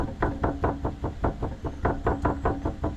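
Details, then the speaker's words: Ford F-150 underbody, hollow clunks two or three a second as a part is shaken by hand; owner suspects loose bolts, brake shoe also questioned, cause unconfirmed. "I'm trying to diagnose the thumping sound underneath my 150 everything seems solid except when you get up here it's a little clunky"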